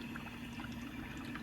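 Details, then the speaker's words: BMW E9x 328i/xi xDrive, N51/N52, after new electric water pump and thermostat: bleed cycle started by holding the gas pedal 10 seconds; soft steady whir with coolant gurgling, no rattle or grind, no leaks. Normal electric water pump running. "Okay, so you can hear it pumping fluid through the system."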